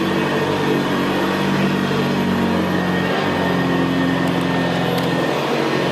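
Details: 1975 Hoover Senior Ranger U4002 vintage upright vacuum in use on carpet: steady, quiet motor drone with a low gravelly brushroll rumble, no surging or rattles; the Ranger is known for a gravelly brushroll. Normal running.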